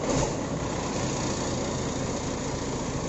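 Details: Hino 500 diesel truck engine started after valve clearance adjustment, with the cover refitted: settles into a steady, even idle with no ticking or tapping over the low rumble; the valve train sounds correctly set.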